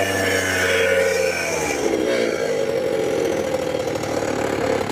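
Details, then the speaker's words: Curb-found Ryobi two-stroke leaf blower after new blower assembly: revs hard with buzzy rattle from loose muffler, pitch sags at full throttle; bogging, owner suspects carburetor needs adjustment. "Um, you know, it's bogging down a little bit at at full throttle. Probably need to adjust the carburetor a little bit."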